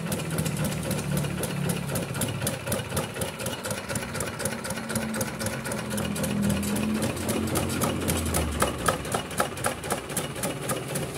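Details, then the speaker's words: Kubota RD65DIS single-cylinder diesel, modified with RD85 pusher and non-standard piston, test-run after cylinder head refit and timing set: even, steady thump around 230 beats a minute, crisp regular firing, no misses; dry exhaust, healthy running. "Kami telah mengujinya dan menyaksikannya bersama. Kami sudah mengecek daya listriknya tadi. Insya Allah, semuanya akan baik-baik saja."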